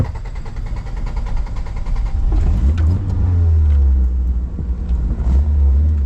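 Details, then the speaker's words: Abandoned carbureted Toyota AE86 Corolla revived after sitting for years: a deep, uneven rumble that stumbles and surges under load. The engine suddenly runs terribly and misfires; the owner wonders if the carburetor is clogged. "Alright, well that's a problem. No, do not die right there. Okay, all of a sudden, running really terribly."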